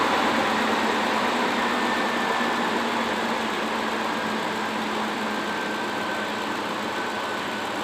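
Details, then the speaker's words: 2004 Ford F150 5.4L V8, cold start after timing components replaced: steady, even idle with only a light regular mechanical tick and no heavy clatter; much quieter than before the repair, sounds healthy. "that sounds much quieter now granted this is a cold engine it's gonna have to get warmed up"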